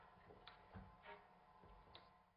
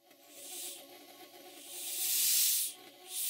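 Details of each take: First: Stuart model steam engine run on steam from a rebuilt Stuart 504 boiler, running at half then quarter speed. A dull clunk about once a second comes from crankshaft side play, with the flywheel knocking against the front bearing. Flywheel knock from crankshaft end play. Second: Newly rebuilt Stuart 504 model boiler on first steam test in the workshop, gauge at 50 psi: harsh hiss swelling and dropping in long bursts with no low end, the safety valve blowing off at working pressure as it should.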